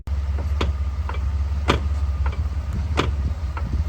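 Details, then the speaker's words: 2007 Chevy Uplander with 248,838 miles: sharp knocks about every second over road rumble while creeping and tapping the brakes, worse going forward. A loose lower control arm bushing had fallen out, letting the arm shift. "And just from the sound, all I'm doing is tapping on the brake pedal, and I can feel like the control arms going forward and back. So I'm pretty confident we're gonna find lower control arm bushings are bad."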